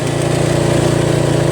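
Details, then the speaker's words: Toro Wheel Horse 825 riding mower, Briggs 8HP, after new battery, carburetor replacement and throttle linkage fix, riding at full throttle: fast even firing pulses, no misses or surging; runs clean and strong. "Now we got full throttle. This thing really moves. And it handles really well."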